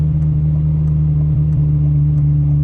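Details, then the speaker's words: Ferrari 355, long-owned, that made substantial noises after high-speed runway passes: smooth, even idle with steady low note and no misses, knocks or ticks; sounds totally normal at idle. "It sounds totally normal. >> Yeah, >> it's not even missing."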